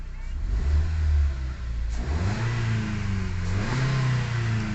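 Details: Ford EcoSport automatic with P0130 O2 sensor B1S1 and P2192 codes, stalling, after injector cleaning, check engine light now off: engine climbs smoothly from idle through clean revs and settles back, no misfire or stumble; runs healthy.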